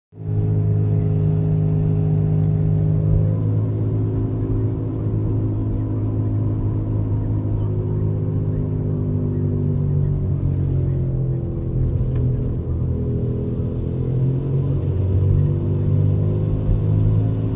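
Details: 2004 Buick Rendezvous: a loud, steady low rumble while driving, with deep hum bands drifting with speed; it only goes away when the wheel is turned left.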